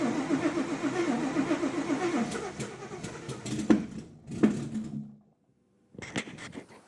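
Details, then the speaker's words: Widebody Fox body with cammed built Coyote, ported Boss 302 heads and Whipple Cobra Jet supercharger, after the tune's injector size was changed from 47 lb to 120 lb: the starter cranks with irregular pops and sputters that never catch. Owner suspects flooding and is unsure of the timing. "it might run it might run it sounds rowdy it also sounds kind of pissed so hopefully the timing on the motor's right we'll see I wonder why it's doing that I think it's flooding actually"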